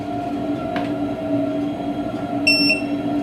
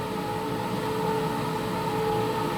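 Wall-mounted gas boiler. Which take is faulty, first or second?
first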